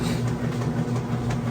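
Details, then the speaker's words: Whirlpool Estate super-capacity direct-drive top-load washer, heavy normal cycle, large load: low steady motor hum with rhythmic agitation kick about four times a second from the center agitator; agitation working properly. "and you can kind of hear what I call the agitation kick"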